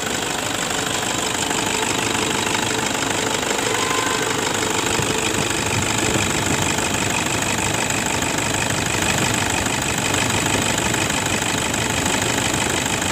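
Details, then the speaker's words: 2011 Toyota Fortuner 2KD 2.5 diesel after replacing belt tensioner assembly and idler bearings: steady even diesel clatter at idle, no squeal, rattle or rough belt noise; engine much smoother. "sekarang suara mesinnya jauh lebih halus jadi memang yang menyebabkan bunyi kasar pada saat awal video kita jatuh cinta di itu dari jengkelnya dan juga idenya ya"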